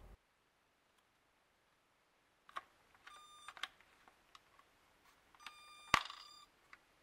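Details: Battery-powered toy mini arcade cabinet (about 6 V) after its corroded battery contacts were sanded and resoldered. Short bursts of a thin, piercing electronic tone on switch-on, twice, with clicks. The squeal persists with 5.9 V at the batteries; owner suspects a crusty diode or out-of-spec capacitors.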